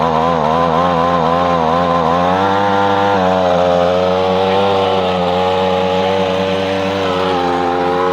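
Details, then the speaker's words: Echo PB-250LN handheld two-stroke blower after fuel line repair: winds up with a rising buzzy tone, then holds a steady even drone; runs well after about a minute's warm-up. Owner reported weak blowing. "well what you think but that seems to work pretty good to me now I never saw it running before I repaired it but I know what's running now it takes that first minute to to get warmed up and then it runs pretty good"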